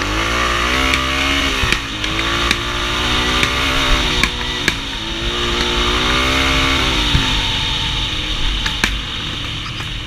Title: RMB misfiring